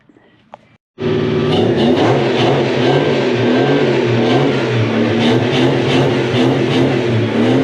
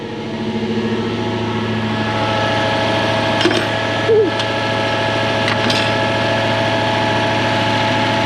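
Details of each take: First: Toyota 1UZ-FE 4.0 litre V8 swapped into a Mk1 Ford Cortina, first run in at least seven years, through its mufflers; engine catches and revs smoothly with a clean, even burble, all eight cylinders now firing. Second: Toyota 1UZ-FE 4.0 litre V8 swapped into a Mk1 Ford Cortina, first proper run; lumpy, uneven idle with one cylinder still not firing. Oil pressure 600 kPa (about 90 psi).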